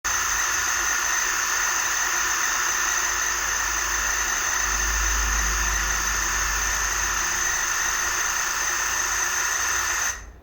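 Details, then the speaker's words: Megmeet Mite-series inverter AC outdoor PCB, quick-started with the outdoor fan relay on: a steady hiss and high whine for about ten seconds, then cutout with an error code; the compressor never starts. "तो देखा आपने कि compressor जो है वह start नहीं हुआ लेकिन आवाज करने के बाद बंद हो [संगीत] गया"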